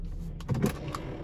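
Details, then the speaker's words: 2004 Volvo XC70 with a failed, exploded automatic transmission; the car will not move in drive. Shifting into park gives dull clunks and a scrape as the parking pawl ratchets without locking. Parking pawl failing to engage. "Basically, that's the parking pin in the automatic transmission trying to engage. But due to the transmission failure, it is not working."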